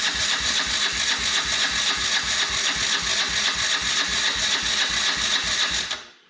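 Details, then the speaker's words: Can-Am DS90X quad after head porting, cam timing and Hetrick kit intake, carburetor and exhaust, choke on, air filter off: steady cranking about four turns a second for six seconds without firing; no spark, intake ground wire was forgotten. "So I've been horsing around with it and I had no spark. And I guess this ground that was hooked to the intake is pretty important."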